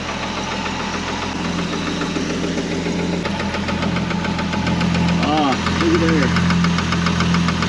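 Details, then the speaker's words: 1963 Ford Falcon Ranchero idling while wheels are turned: loose, irregular knock about three a second; owner suspected the fan, found to be hitting the oil pan. "Let's see what's hitting when I turn the tire. Sounds like something's hitting the fan."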